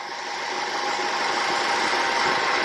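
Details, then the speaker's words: 2010 Ford Fusion 2.5L after CHT sensor (P1285) repair and valve cover leak fix: steady even running, constant rushing sound, no knocks, misses or surging, cooling fans not kicking on; normal idle. "all right so it's running no fans are kicking on i think we got it"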